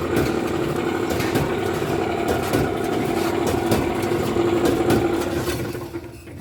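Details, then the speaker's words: Alliance Speed Queen commercial dryer running, also not heating well: loud rough rumble, steady hum and repeating knocks from a damaged drum idler pulley and worn drum bearing slides; fixed by replacing the pulley, nut and slide kit. "see this noise just like a cushion noise it's very bad noise it is"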